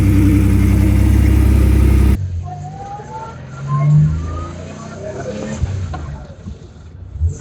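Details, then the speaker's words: 1971/72 Porsche 911 with 3.0L 930 Turbo engine, just started, first drive: strong clean rise in engine roar under throttle, pulling evenly with no misses or knocking, then easing to light cruise; very strong pulling, normal. "Yeah, that's pretty strong pulling. I'd say very strong pulling."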